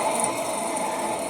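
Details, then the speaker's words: 2004 Ford F-150 2WD, 4.6 V8, front wheel bearing, with tire and caliper removed and the hub spun by hand: a steady rough growling roar, louder when loaded in turns, from a bad wheel bearing. "u can hear it kind of a growling roaring noise and when you straighten out you go around lift curves so that it's leaning away from this wheel putting more weight over there the sound goes away"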